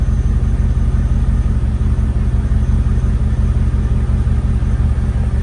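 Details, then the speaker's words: 2010 Mercedes G55 AMG, M113 V8, at idle after replacing all 8 ignition coil packs (following new plugs and wires), listening at exhaust on each side: steady, even low burble, no skips or pops; normal idle, no misfire. "Nice and smooth there. Let's check the other side. Is that you? No. Nice and smooth"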